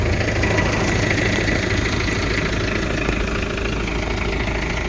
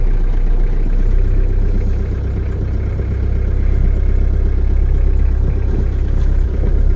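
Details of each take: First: 1983 diesel truck, started cold, now at settled idle after the manual cold-start throttle was pushed back in: an even diesel clatter with a steady rhythm and no misses or odd knocks. A healthy idle. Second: Diesel truck just started cold with the manual throttle pulled up for cold starting: a low, quick, steady diesel rumble at fast idle with slight swells, before the idle is turned down. The owner expects some belt squeal.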